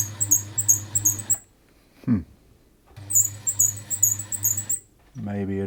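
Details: Bernette 50 sewing machine in for service after lack of maintenance: sharp, high squeak on every stitch cycle while running, stopping when it stops; the source was being tracked down, with a dry part of the mechanism suspected.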